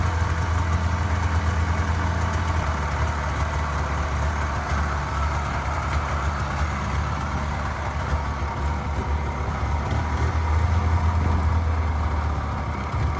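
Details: Polaris 500 Widetrack snowmobile, first start after sitting about six months: plugs checked, a little fuel added, dead battery boosted. It catches quickly and holds a steady, even low idle with no knocks or misses, running cleanly.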